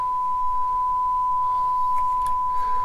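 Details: Shure M267 microphone mixer, rescued from a dumpster, grounding hum fixed: steady, pure mid-pitched test tone with no crackle, hum or dropouts; the channel passes signal cleanly.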